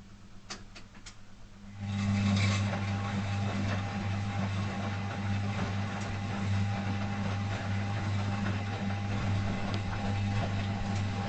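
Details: Zanussi FL1012 washing machine on Program D fast coloureds heavy soil 60°C: steady low motor hum with constant gritty grinding through the wash, worsening over days; not apparently from drum, owner unsure if worn brushes or motor fault.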